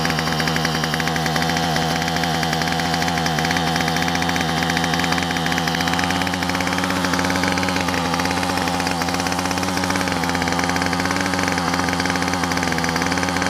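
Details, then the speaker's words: Yard Machine string trimmer two-stroke after new carburetor, gasket and spark plug, choked to start: crisp steady buzz at even high speed with no surging or stumbling; runs much better than its previous rough running, air filter still to change. "I tell you what, it runs a lot better."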